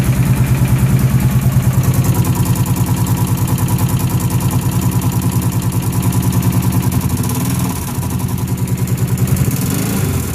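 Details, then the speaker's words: Motorcycle idling: rapid, even ticking about three per second over a lumpy idle that sags briefly. Owner also hears a pop or click on throttle and on release. Source of the tick unknown. "all right so when I turn this on it sounds like something's ticking and I don't know what it is"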